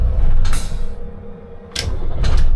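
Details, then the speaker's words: Diesel fire truck used as an expedition truck, after a zero-cost repair, restarted once the air tanks were full. It catches at once into a deep, even rumble with brief air hiss bursts and no starter grinding; healthy quick start, idle later stable at 600 rpm. "Nickel, c'est 100 fois mieux. Mais 100 fois mieux. Là il démarre au quart, comme quand je l'ai eu finalement."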